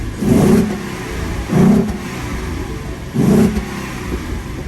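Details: 2015 Mustang V6 with newly installed BBK stainless shorty headers, aftermarket intake, stock cats, X-pipe and mufflers, first start after install: three clean throttle blips falling back to steady idle, no ticking or exhaust leaks; normal revving.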